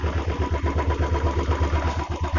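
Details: Royal Enfield Classic single at idle, after a fix for a clutch-side noise (a loose 13 mm nut had been striking and was tightened). An even, deep thump of about eight beats a second with no rattle or knock: a clean idle.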